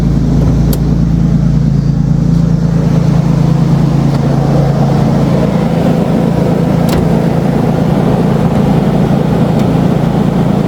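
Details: 2007 Nissan Xterra after the fan clutch was replaced: a heavy, steady low roar over the running engine still sounds like an 18-wheeler, so the new fan clutch did not fix the noise; the source is unknown.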